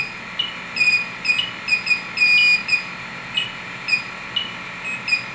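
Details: Fieldpiece SRL8 and Testo 316-3 leak detectors tested on R22/R11 CFC reference leak: sharp high-pitched beeps about two per second, uneven, with a longer tone midway; alarming on refrigerant.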